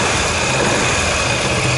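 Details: Dafra Maxsym 400i single-cylinder scooter at about 10,000 km, after warranty replacement of the top end (piston, cylinder) damaged by running without oil from a gasket defect; loud, even idle with no rattle or tapping, healthy.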